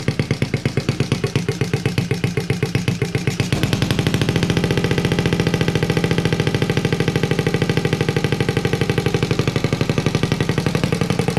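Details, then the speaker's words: Honda Z50A Monkey bike running on a borrowed carb after fixing a low float and leaking drain screw, manifold not connected to the silencer; small single sharp even pops at a steady beat, louder without silencer, running cleanly; normal idle. "wow finally well we managed to get it to work and it sounds pretty cool as well"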